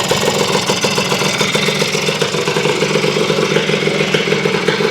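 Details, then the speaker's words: Honda CR250M Elsinore two-stroke, idling after kickstarter repair on a frosty morning around 30°F, first run after years laid up, mic low near engine: crisp, steady popping idle, not loose or ringing; healthy. "It's alive after I don't know how many years, guys."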